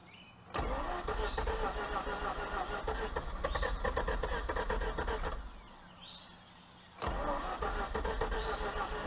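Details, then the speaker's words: 2004 Mazda RX8 rotary with a blown engine, parked for lack of compression; it turns over freely with no hard spots: starter spins in bursts with an even, fast whirr, no compression pulses and no catch; no compression when cranking. "but i am feeling no compression like whatsoever so it's going to be interesting to see this thing start i mean that's why it's parked because of lack of compression"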